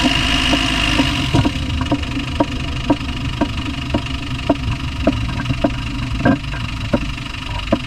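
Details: Land Rover Discovery 1 300Tdi diesel idling steadily: a sharp, fairly even knock about twice a second stands out above the clatter. The source is unclear; engine knocking.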